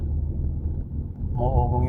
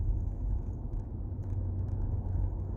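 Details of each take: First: Nissan Patrol humming noise from wheel hub bearing.Rear hub bearing replacement. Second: Nissan Patrol Y62 driving after rear wheel hub bearing replacement for a humming noise: only low, even road rumble, no hum or drone building with speed; bearing quiet.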